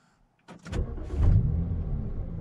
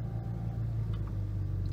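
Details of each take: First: BMW Z4 35i (N54 engine), one week after Vanos actuator cleaning and oil change: cranks and catches quickly, settles to a smooth steady low idle under dash chimes; reduced-power problem gone, normal startup and idle. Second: BMW Z4 35i with N54 engine idling low, uneven and rough, shaking the car, reduced power light on; fixed by cleaning the VANOS actuators and an oil change.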